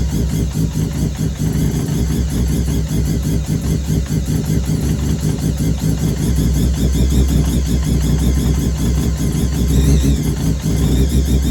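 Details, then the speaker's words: Mazda 323 with bridgeport 13B turbo rotary, idling after starting on replacement ECU and fuel rail leak fix: choppy uneven chuffing pulse with odd stumble, very smoky; owner suspects overfuelling, will lower mix trim; rough rich idle. "okay she's well Out Of Tune um think it's dumping too much fuel that's Smokey as hell in there"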